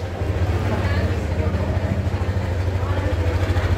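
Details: Yamaha NMAX 155 VVA scooter idling, and also at raised engine speed, with a coarse, uneven low rumble pulsing about three times a second, from a rotating part; attributed to a worn outer camshaft bearing.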